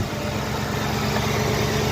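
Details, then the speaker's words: 2010 Ford Crown Victoria P71 drivetrain in body-swapped 1981 F150, after replacing power steering line and turning wheels: smooth idle with no pump whine or groan; earlier noise thought to be air in system, owner feared pump damage from running low. "It seems to be doing better now. I think we just had air in the system."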